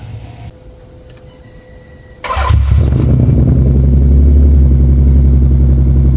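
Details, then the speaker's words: Nissan 300ZX Z32 (VG30DE) after fitting mufflers, no resonators yet: starter catch, then heavy booming, raspy low rumble at idle, still too loud and obnoxious; resonators needed. "So it's Saturday, and we did not like how the muffler sounded without a set of resonators. It still had like that too loud, obnoxious kind of sound to it, even though the mufflers do look nice."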